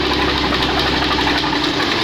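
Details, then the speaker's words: Honda Beat F1 scooter with overly extreme racing variator rollers fitted: revving brings a coarse, gritty rattle from the CVT, and the drive vibrates hard on pull-away, a rough CVT under throttle. "nah disini mengalami masalah pada bagian CVT bunyi Hai kasar seperti ini kasarnya saya coba dulu"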